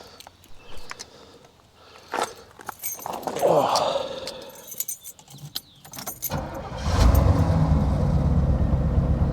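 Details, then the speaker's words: 1985 Pontiac Trans Am (Knight Rider promo car) start: handling noise, then engine catches after about six seconds and settles into a steady, even, smooth idle; normal start and idle, sounds healthy. "Idles nice and smooth."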